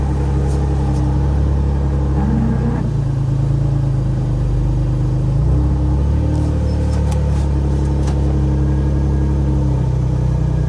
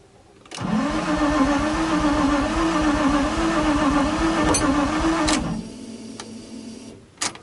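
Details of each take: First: Flood-damaged Nissan 350z that sat over a year, after a loose, unclipped plug was reconnected. Deep V6 rumble rises cleanly through several throttle blips and drops back smoothly, no knocks or misses. Normal revving. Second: Flood-damaged Nissan 350Z that sat over a year, first start after rewiring, mass air meter not yet installed; engine catches with rising tone, runs rough about five seconds, then dies to quiet ticking: starts then stalls.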